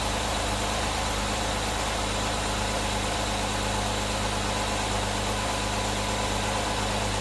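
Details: Car that wouldn't start due to a loose battery terminal on a new battery, fixed with a battery top-post shim: engine settles into a smooth, even idle with a steady low hum and no stumbles or stray knocks; starts and runs normally.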